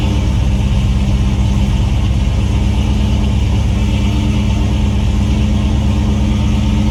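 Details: 1996 Ford Mustang engine after swap, reportedly pushing oil out of the dipstick tube as if from a bad ring: deep, steady, even running with no knocks, misses or ticks over the low rumble; runs fine.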